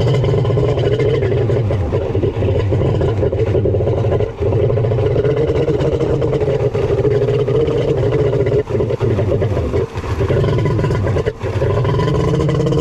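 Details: Kawasaki 1100 triple two-stroke jet ski (X2), cylinders just bored and engine reassembled: loud steady drone that never climbs in pitch, brief drops and stumbles; won't rev, ignition timing set wrong on the Zeeltronic CDI.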